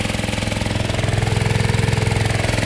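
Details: Gold dredge pump engine on fresh gas after last year's 9-month-old gas wouldn't run, idle being turned down (about halfway the lowest it goes), warming up before an oil change: steady even thrum, solid low end, no misses; runs clean.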